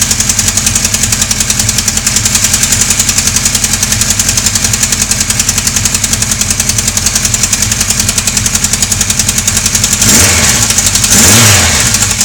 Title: Sonderbare Motorgeräusche Teil 2.AVI